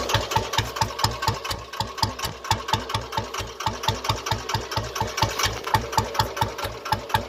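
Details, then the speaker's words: Old-model Royal Enfield Bullet single idling: sharp, regular light metallic knock about four times a second; diagnosed by ear as piston pin knock, and opening the engine confirmed it. "ਮੈਂ ਉਹਨੂੰ ਫੋਨ 'ਤੇ ਦੱਸਿਆ ਸੀਗਾ ਵੀ ਇਹ ਪਿਸਟਨ ਦੀ ਆਵਾਜ਼ ਆ ਰਹੀ ਹੈ, ਪਿਸਟਨ ਪਿੰਨ ਖੜਕਦੀ ਹੈ, ਇਸਨੂੰ ਖੋਲ੍ਹ।"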